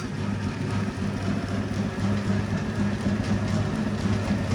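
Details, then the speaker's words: Circa 1932 Bennett Model 450 twin gas pump, barn find idle over 40 years, electric motors and switches worked on: even continuous low hum with a light pulse about four times a second, nothing harsh; motor runs fine. "And there you go. 1930s Bennett twin 450 gas pump comes to life."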